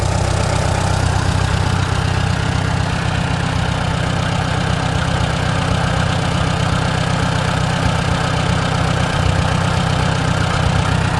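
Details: Antique Farmall tractor on a new Chinese carburetor, mixture screw one full turn out, on choke. Steady, even low idle with a regular beat and no misses, stumbles or knocks, so the mixture is set right. Normal idle.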